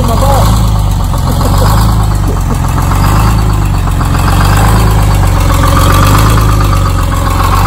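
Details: Detroit Diesel 6-71 in a 4104 coach (air dryer, spin-on oil and fuel filters, more-blade fan, replaced hub, air shutters), started with ether spray: loud steady low idle, even fast beat, no misses; runs smoothly once caught.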